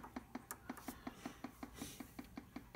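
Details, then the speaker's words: 210 I/O board, powered on: sharp, even ticking from the speaker at nearly three per second; pressing the interrupt button briefly stops it but clicking continues even when held, screen unchanged. "you can see I can mess a little bit with the clicking it temporarily stops to clicking but it keeps going even if I press and hold interrupts"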